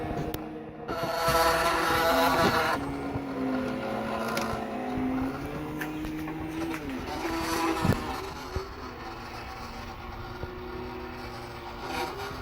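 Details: Laser cutter with 3.5 W laser on RAMPS 1.4 cutting vinyl sticker: stepper motors whine and shift pitch as the axes change direction through the cut, no stalls or grinding; normal operation.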